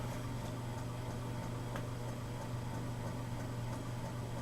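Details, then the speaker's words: Vintage 36-inch Emerson Casablanca friction drive ceiling fan, installed, wall speed control dialed from high to low: steady low hum with faint light ticking, smooth and even; normal running on low. "Running good."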